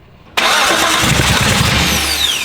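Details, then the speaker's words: Abandoned Datsun 280Z on carbs awaiting tuning, key held on, gas given while starting; catches suddenly and roars briefly, then sags and cuts right back off instead of idling. Fires but won't keep running; cause unconfirmed, carb tuning suspected. "insta-fire if it, like it's firing, it's just cutting right back off."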